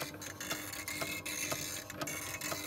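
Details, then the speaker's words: First-generation Wolverine Reels2Digital MovieMaker, 720p belt-drive, digitizing a full 5-inch reel as internal temperature climbs from 77° to 90°F: high scratchy squeak about twice a second over the whir, like a squeaky hinge; owner suspects heat is melting the drive belt. "you can really hear that noise it's making sounds like a squeaky hinge"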